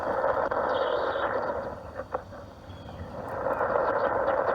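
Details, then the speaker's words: Two-year-old vinyl pool liner with holes, heard through a hydrophone and amplified speaker: a steady underwater hissing rush at a level volume. Water escaping through a leak hole in the liner. "this is what a leak sounds like so these are leaks I found this one right there right there's a big one"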